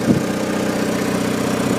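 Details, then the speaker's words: Onan DJB 6 kW diesel generator with a new muffler, housed in a shed, on a cold start at about 48°F, heard outside at the exhaust. An even, soft diesel putter with no rasp or leaks; the exhaust is healthy and quiet. "yeah now it's really loud cuz we're inside and going to do is walk around the side here and this is it I mean you can hear the exhaust there's the exhaust"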